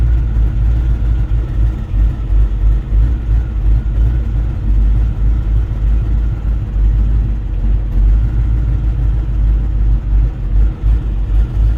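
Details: 2003 4.6 2V V8 while driving: deep rumble that surges and sags unevenly, cutting in and out and making noise under way, though it idles and revs fine.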